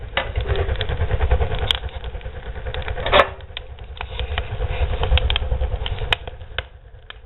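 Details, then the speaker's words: Barrel woodstove with modified air intake, pipe at about 600 degrees: deep, steady low rumble with crackles and pops, stove drawing hard and burning vigorously; normal strong draft roar. "that's the stove cranking cuz we got up to 600 de on our pipe"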